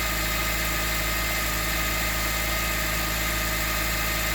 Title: CR-V Hybrid 2019 - knocking sounds on cold start